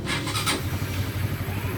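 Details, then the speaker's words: Honda CBR150 LED motorcycle, first start after cylinder head/block reassembly with the tank, fuel hose and fuel pump connector refitted: a short starter whirr, then a smooth, even idle. The hiss comes from the air filter not yet being installed. "Nah, udah nyala ya, Teman-teman. Suaranya halus tenan. Ini suaranya halus. Langsamnya juga bagus."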